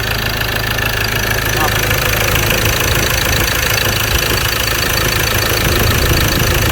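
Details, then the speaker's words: Ford Ranger T6 2.2 diesel at about 300,000 km; the customer reports poor acceleration, a loose engine and oil vapour from the breather. Loose, uneven knocking at roughly three per second over a rough idle, a worn engine knock. Overhaul planned. "สำหรับคันนี้ก็ที่ลูกค้าแจ้งว่าเร่งไม่ค่อยขึ้นแล้วก็เครื่องหลวมลูกค้าแจ้งประมาณนี้นะครับ"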